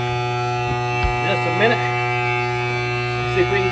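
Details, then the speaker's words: 1971 M35A2 turbo deuce-and-a-half after a fuel pump pickup tube repair: the fuel pump gives a steady, low, one-pitch electric buzz while priming before start, with no engine firing yet. Normal priming. "started here it'll take a second for the fuel to circulate all the way there she goes"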